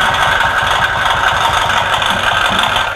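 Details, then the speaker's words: Honda Click version 1 scooter at idle with the dirty CVT cover off: a steady whirring with a quick, even flapping slap on top. The helicopter-like noise is the CVT drive belt slapping hard. "Yung mala helicopter na ingay. Grabe yung belt oh. Palong-palo yung belt."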